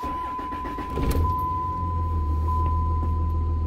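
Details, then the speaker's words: Diesel truck after a manual transmission swap replacing the G56, installed without a boot or silencer: starts and settles into a steady idle with no whine, rattle or clunk from the gearbox underneath. Quiet and healthy. "there's no noise there's no noise at all coming from underneath here"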